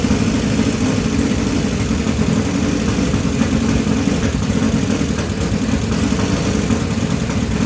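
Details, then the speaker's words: 1980 Kawasaki KZ1000 pro street, freshly rebuilt engine, cold on choke at high fast idle: busy rattly top-end clatter over the exhaust; cams flopping around, valve clearance likely extremely overtight, possibly wrong-length new valves; valvetrain clatter. "cams are just flopping around in there I imagine it was just extremely the valve clearance was extremely overtight"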